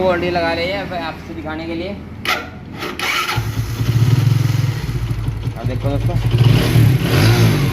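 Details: Vikrant V15 motorcycle after one-way clutch repair for a bad engine noise: steady even low beat under music, no rattle or clatter from the clutch side; noise gone.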